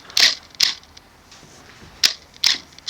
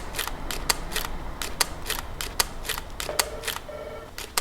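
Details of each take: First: Nikon D600 in video with AF-F full-time face-detection autofocus: five short, sharp whirring clicks at uneven intervals over three seconds. The focus motor keeps hunting without settling; the camera is struggling to focus. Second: Nikon D600 DSLR shutter firing in Q (quiet) mode, camera brought closer to the microphone: soft, crisp double clicks at irregular intervals, quieter than normal continuous-high mode though not silent; normal shutter operation.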